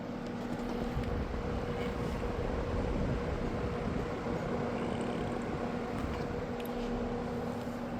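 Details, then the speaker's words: Happy Home window box fan just started on a cold night after weeks unused, sitting on the floor and vibrating it: steady even drone with low hum, no rattles or knocks; much smoother than before, warming up. "It sounds uh like it's running a hell of a lot smoother than it used to. Hm. It's been sitting back there. I think it's starting to warm up. It's also on the floor, so it's vibrating the floor."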